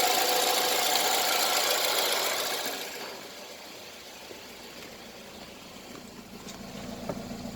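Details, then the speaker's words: Toyota Isis 1AZ-FSE engine, 4WD automatic, 104,000 km, tested before dismantling: a steady, even idle with a soft regular tick and light hiss, no hunting, blow-by or smoke; the engine is in excellent condition. "Двигатель в отличном состоянии. Работает ровно, оборотом не плавает, а КПП переключается, все работает."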